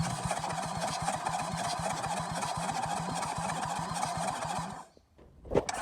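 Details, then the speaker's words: Toyota Land Cruiser HDJ100 1HD-FTE diesel, flooded in 2022 and freed from seizure, exhaust manifold and turbo removed: starter cranking with uneven beat, some strokes lighter; low compression on some cylinders. "those of you with a Keeny will have noticed that whilst cranking over this thing definitely is low on compression on some cylinders"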